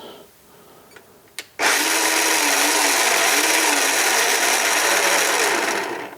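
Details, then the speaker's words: Makita XMU04 cordless grass shear at free speed through its potted controller, 0.3–0.8 A running: high busy whine wavering in pitch; motor surging. "and during normal operation it shows below 1 amp so 0.3 to 0.8 it changes because again the motor is surging and right now we're just running a free speed"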